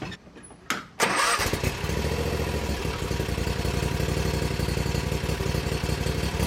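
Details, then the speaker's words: Bad Boy zero-turn mower, fire-damaged engine repaired, running after a drive-linkage adjustment to fix pulling to one side: engine catches and settles into a steady idle; wheel then moved forward, needing one more turn. "I think I might have gone the wrong way because I swear it got a little bit faster."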